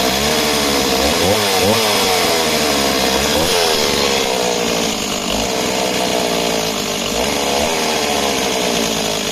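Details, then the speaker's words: Stihl MS260 project chainsaw, two-stroke, about 48cc: raspy buzz wavers and surges at lower revs instead of holding steady. Great top end; owner suspects it is leaning out low down. Fuel pickup and pipe appear fine, cause unconfirmed. "she definitely sounds like she leans out it's a great top end low down she's she sounds like she's leaning out"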